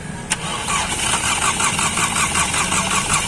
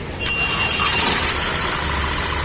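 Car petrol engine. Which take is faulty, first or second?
first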